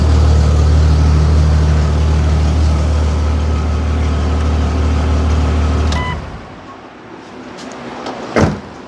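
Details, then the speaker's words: Jeep with a new exhaust manifold fitted after the driveshaft failed and damaged the exhaust, bolts retightened: steady, even deep idle at 800 rpm with no knocks or clunks, sounds as it should; normal idle. "Bingo that's the way it's supposed to sound"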